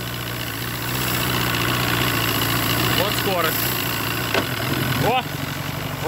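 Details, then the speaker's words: Force 120 (Mercury) 1999 two-stroke outboard off a Bayliner, warmed up: steady idle with smooth low drone; forward and reverse gear clunks engage cleanly, gearcase sounds good, engine healthy. "что он прогрелся работают очень хорошо"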